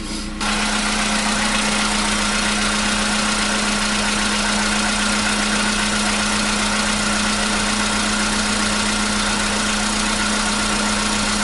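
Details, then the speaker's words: 2015 VW Polo Sedan CFNA engine at 76,000 km, cold start on a new battery: it catches at once and settles into a steady, even cold idle with no knocking; the cold-start knock it had since 2016 has suddenly gone. "Двигатель, конечно, колбасит. Вот так, проехав 76 тысяч, двигатель внезапно перестал стучать."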